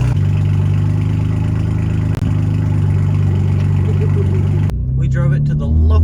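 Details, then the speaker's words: A BMW M4 with the S55 engine that had a rough idle and a raw fuel smell, after new spark plugs gapped at 0.23. The idle is deep and steady, mostly even with only a faint lumpiness, and much improved. Acceptable idle. "It still has like a little, like you can tell it's not idling 110%, but it's not idling bad at all."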